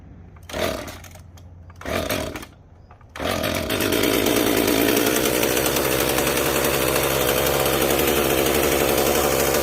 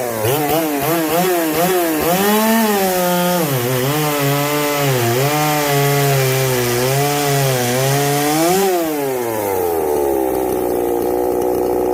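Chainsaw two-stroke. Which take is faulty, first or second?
first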